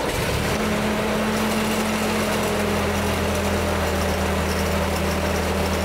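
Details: 1946 Ford 2N tractor flathead four after head gasket replacement: steady even low drone, constant pitch, no knocks or misses; runs smoothly and healthy.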